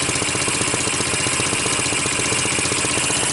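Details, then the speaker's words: Sunl 150cc dune buggy GY6 engine, no-spark fault fixed with a $14 pit bike AC CDI ignition kit; steady, even idle putter with no misses or stumbles, running cleanly. "so there we go great it's running right on the $13 hit by completion system 1350 everything is good"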